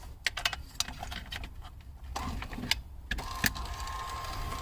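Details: Mercedes W202 power antenna being installed, plugged in and tested: among clicks and handling, a faint steady motor whine holds for a few seconds; the power antenna motor runs normally.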